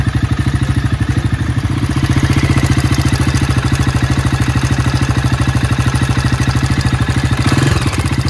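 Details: Low-mileage Jawa 42 with bend pipes running straight from engine to exhaust: steady idle with loud rapid mechanical clatter over the exhaust beat; major engine noise, cause unknown, said to affect more than one bike.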